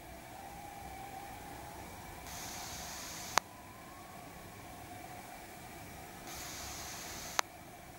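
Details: Lumia 950 (OS 10.0.10586.29, all apps closed) loudspeaker in standby: faint hiss swells then sharp click repeating every 3–4 seconds, restart fixes it temporarily, recorded outdoors in wind; periodic speaker clicking in standby.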